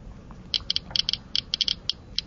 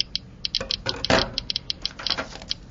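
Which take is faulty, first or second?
second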